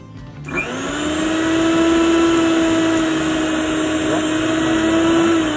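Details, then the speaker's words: Preethi mixer grinder after its melted, burnt inner body was replaced, coupler fitted: a steady high whir settling to an even, constant pitch with no knocking or rattling; no change from its original sound; normal running. "ಯಾವುದೇ ರೀತಿಯಾಗಿ ವ್ಯತ್ಯಾಸ ಕಾಣಿಸ್ತಾ ಇಲ್ಲ. ಮೊದಲು ಹಳೆ mixer ಯಾವುದೇ ರೀತಿಯ sound ಇತ್ತು ಅದೇ ಥರನೇ"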